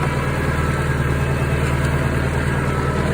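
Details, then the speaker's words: Used Kuhn GA 4101 GTH rotary rake on tractor PTO, run after noticing slight play at a keyed shaft nut: steady tractor drone with even driveline hum, no clunks or knocking from the shaft; no bad sounds, rake turns smoothly. "no bad sounds at all nice"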